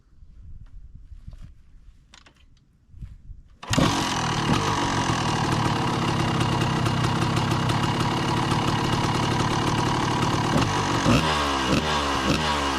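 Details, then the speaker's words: 1990 Honda CR250 two-stroke dirt bike after carb idle tuning: starts and settles into a steady, crisp idle with even popping; running smoothly and a lot better than before. "So, I just ran the bike and tuned the carb a little bit on the idle, and it's running a lot better now."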